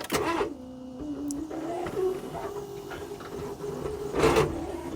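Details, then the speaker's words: Abandoned first-generation Smart Fortwo Cabriolet, probably unstarted since September, seized alternator, engine just freed to turn: a long whirring crank with no catch, then a surge as it finally runs, unhappily; hard starting. "almost I would I would say that isn't entirely happy dear some interesting side effects yeah that still doesn't really want to go there we go that's probably the first time this has run since September now"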